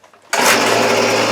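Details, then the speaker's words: Hitachi RB24EAP two-stroke leaf blower, previously hard starting, after cylinder decarbonizing and cleaning: it fires on the pull and settles into a steady, even buzz. It starts much better than before, though the exact fix is uncertain. "okay you could hear it running out there I don't know whether the carbon cleaning actually did not tighten the TRO or cleaning the pod either one of them it started a lot better than before"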